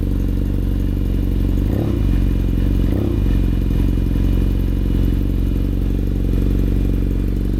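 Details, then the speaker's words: Newly bought used 2015 BMW F800R with LeoVince exhaust and check engine lights after a rinse, just after startup: idle unstable and over 2,500 rpm with cooling fan already whirring; cause unconfirmed. "And for this one, I'm just going to turn on the bike and you will probably hear the cooling fan turns on right away. Okay. So the cooling fan is already on. That's one weird part about this bike."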